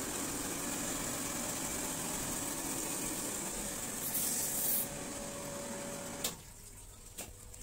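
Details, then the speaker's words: Shimizu 268 BIT jet water pump after repair of its noisy running: steady even hum running smoothly, then cutting off and going quiet, normal running. "Salam a ini suara real Setelah semua proses dikerjakan atau diperbaiki"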